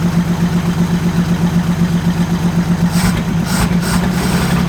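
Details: 1947 Chrysler Royal, just started in neutral: low, even chugging about four beats a second, no misses or knocks; runs steadily, though a major oil leak is noted.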